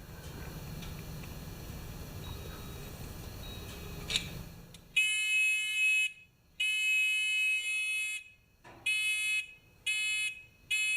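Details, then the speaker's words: Discovery metal detector pinpointer with rechargeable battery, potentiometer being adjusted to about a quarter turn: high steady tone cutting in and out in one-second bursts near threshold; very sensitive after adjustment. "That's pretty good. That's a pretty sensitive damn thing, that."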